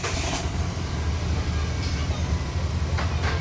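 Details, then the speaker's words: Nissan Micra idling fast at about 1100-1200 rpm with the check-engine light on and high fuel use: an uneven, stumbling low pulse. Cylinder 3 is misfiring, from a failed coil and worn plugs. "यह आप देख सकते हो कितनी टंग है इसमें कितनी missing हो रही है"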